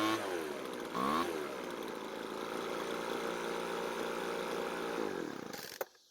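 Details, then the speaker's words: Small two-stroke blower with a newly fitted replacement carb, heard during carb adjustment: the buzz drifts up and down and sags at idle, then dies after about six seconds. The idle is unstable and the cause is unconfirmed. "in the middle of adjusting the carb, something odd was happening. It seemed like the engine was slowing down while at idle, which is not normal."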